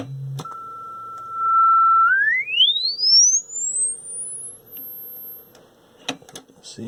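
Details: Vintage Lloyds stereo 8M36W-07A speaker after checking a taped splice, on test bench: sweep from low frequency gives a clean steady tone gliding up to a high whistle with no buzz, rattle or dropout; speaker plays normally.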